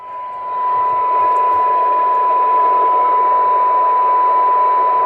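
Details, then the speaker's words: PC76XLW radio after recap, alignment, AMC circuit and meter LED repairs, receive test on signal generator: soft even hiss with faint steady test tone heard clearly down to -113 dBm; normal, very good receiver sensitivity. "Minus 113 dBm. That's a really good listening radio."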